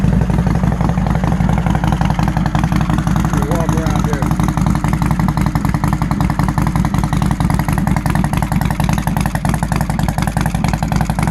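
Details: 2001 Harley-Davidson Road King Special V-twin idling with a steady, even low thump, regular firing and no knocks or misses; runs fine here, though a starting problem was traced toward the ECM.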